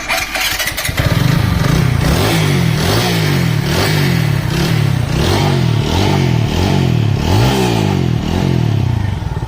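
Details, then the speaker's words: TVS Apache RTR 200 4V after a genuine timing chain replacement and fresh engine oil. Clean start and steady, even idle with light blips, no chain rattle or ticking: normal idle. "Engine no problem ठीक है"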